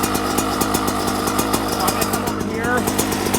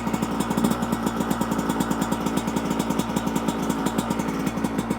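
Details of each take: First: 2024 Yamaha YZ125 two-stroke after jetting changes (162 main jet, pilot jet dropped to 55): crisp quick popping held steady at idle, slightly faster than just-barely idling; idle speed set slightly high, adjusted via idle screw. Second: 2024 Yamaha YZ125 two-stroke after carburetor jetting changes (main jet 162, pilot jet dropped to 55), on choke: quick, even popping idle holding a steady pace; sounds better than the previous crazy-high idle.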